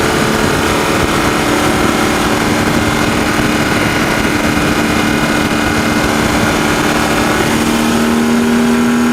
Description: The Sound is recorded in the engine bay while driving on the Autobahn. / The ratteling, ticking, noise is best to hear when I accelerate to 6500rpm and then stop accelerating.